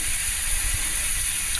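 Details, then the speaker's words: Kenworth truck tire leaking air through the hub on a remote road: steady sharp rhythmless hiss of air escaping continuously from a puncture, likely from running over something. "Well, I can just hear it, so I don't really need to mark it."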